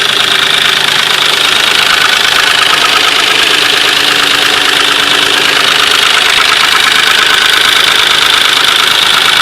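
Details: 2003 Nissan Maxima at idle: light, fairly regular tick about twice a second over a steady idle; engine ticking noise of unknown origin.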